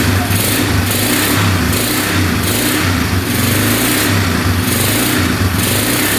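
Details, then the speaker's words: 2011 Polaris Phoenix 200cc single-cylinder ATV, after carburetor work, with the airbox off and the choke just turned off: clean, repeated revs about a second apart with no bogging, no smoke and no knocking. Normal running. "sounds pretty good reving out I doing perfectly we have to get the airbox back on there but wanted to make sure it ran before we did that sounds great no smoke at all no knocking in the engine yeah everything sounds really good"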